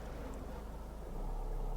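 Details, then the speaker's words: Manual car, no gas pressed, clutch lifted: quiet steady idle, then engine note steps up and holds higher as clutch bites, car adding throttle itself; normal idle speed rise on clutch take-up. "can you hear that the engine revs listen to how it revs when i lift my clutch again people you say you don't need a gas you do it's just the car is doing it for you"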